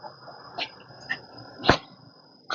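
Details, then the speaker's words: Ford Edge, microphone placed on the stabilizer bar: a few short irregular creaks and squeaks, no engine sound; worn stabilizer bar causing creaking, with knocking also present on that side. "colocar o microfone na peça ó ó Que barulho que ela faz vem tá aqui fazendo barulho aqui na barra estabilizadora também eu tenho problema de batida"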